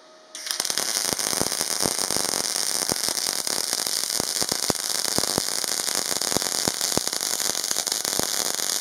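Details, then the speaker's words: Parkside PMSG 200A2 multi-process welder, MIG on 3 mm plate with light chamfer, 0.8 mm wire, 20.5 V and 135 A: steady even crackle like bacon frying, no pops or sputter; good fusion, a well-set MIG arc. "Le résultat est pas mal du tout, la fusion est bonne."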